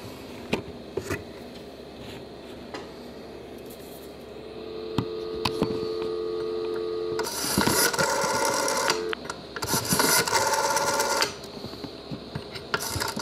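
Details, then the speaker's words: 1953 Western Electric 500 rotary phone rescued from a thrift-shop dumpster: uneven ticks of the dial returning, then a steady low dial tone and line sounds; working normally. "i just wanted to show you that it does work i don't think you're gonna be able to hear much well if you can hear that dial tone or not let's see if we can make a call on it"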